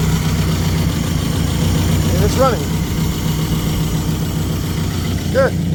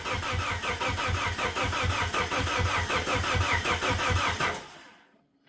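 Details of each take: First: Plymouth Neon sat at least 8 years, running after missing fuses installed and makeshift fuel pump primed: even, steady idle rumble, no misses or knocking; normal idle. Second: 1999 Plymouth Neon sat at least 8 years, makeshift fuel tank with external pump pressurized: even cranking about three pulses a second for over four seconds, never catches; crank no start.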